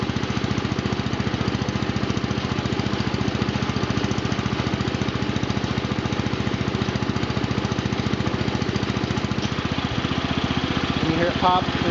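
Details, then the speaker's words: John Deere Model 20 air compressor, pulley-driven off a 1966 110 garden tractor engine (max 1000 rpm): steady pumping thump about three and a half times a second over the engine, then a sharp pop as the bypass valve opens; working fine. "so we'll just go a big overview now take see that compressor moving the waiver pressures bouncing up and down a little bit"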